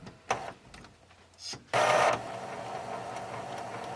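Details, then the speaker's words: Epson ET-2710 printer, partly disassembled after a two-red-light error following a scan: a few soft clicks, then a short smooth whir as the print head carriage sweeps across. Normal carriage movement; the fault noise is traced to the scanner. "yeah that's making normal sort of sounds print head's moving across and it still did its little fault thing"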